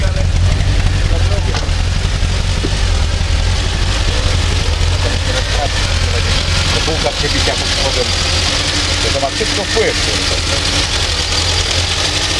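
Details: Fiat 125p petrol engine idling with an uneven, lumpy beat and wavering note; rough idle, cause not identified.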